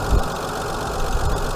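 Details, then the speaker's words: Hyundai Sonata 2.7 V6 after cambelt and water pump change: smooth even idle, steady low hum, no ticking or belt squeal, quietening down; cold-start squeal from belt or water pump bearing gone. "But yeah, it's all good, all okay. And you're quietening down now."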